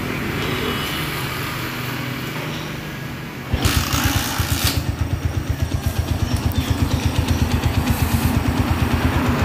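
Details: Freshly rebuilt Honda GL-type single-cylinder motorcycle engine with a new piston and thinner oil, first start: fires after a short crank and settles into an even, steady putter with no tapping or knocks; a smooth, healthy idle.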